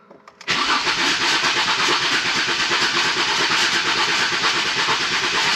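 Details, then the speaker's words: Ford Mondeo ST220, previously neglected engine stood unused for months, cranking with the fuel relay removed to build oil pressure before a compression test: starter cranks continuously at about three beats a second with an uneven, dragging rhythm; slow, labouring crank, starter sounds tired. "I need to do this when it's been stood up for a few months so [Laughter] starting members not healthy is it let's be honest"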